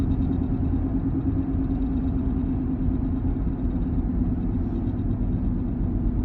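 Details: 1-year-old Porsche Macan: steady low droning rumble with a faint even hum throughout, no change in rhythm; source of the noise not pinned down.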